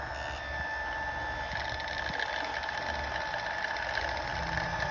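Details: Kenmore dishwasher model 587.14119401 running with a steady piercing high whistle over pump hum, present for two months; drain/inlet valve replacement didn't help; cause is the failing circulation pump, part 154859101.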